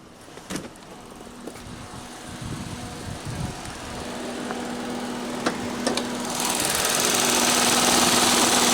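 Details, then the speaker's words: 2017 Ford Fiesta SE after replacing its failed radiator cooling fan, warmed to about 210°F: quiet idle, then about six seconds in a steady, even whoosh comes up and holds as the new fan switches on and runs normally. "so 210 all right so any moment shortly after 210 is going to kick this fan on and then we need to run out there real quick and make sure we should hear it oh there it is"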